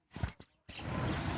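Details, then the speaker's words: Tractor that will not start, sounded at key start: a few faint clicks, then a steady dry rattle with no cranking. Alternator warning lamp does not light because its bulb/fuse has blown, so the battery is not charging; suspected cause of the starting problem. "समस्या क्या है? इससे खड़खड़ाहट की आवाज आती है।"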